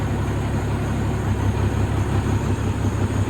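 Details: 2003 Freightliner Columbia, Caterpillar 3406 (6NZ) diesel, after adjusting the number 5 injector that caused yesterday's problem: smooth, even low idle rumble at correct rpm, no misfire, mirror no longer shaking.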